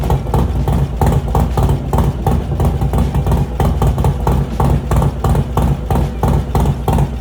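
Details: Harley-Davidson Low Rider S, Milwaukee-Eight 114 V-twin, after installing S&S 475 cam chest kit with new oil pump: steady loping idle, even deep beat about three pulses a second, no ticks or knocks; healthy.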